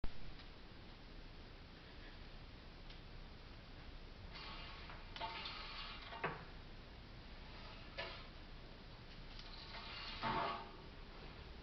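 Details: 2008 Mazda CX-9, front lifted with both front wheels off, ignition on, mic at front left wheel where loudest: short rough scraping bursts as steering is turned left and right; grinding noise when steering.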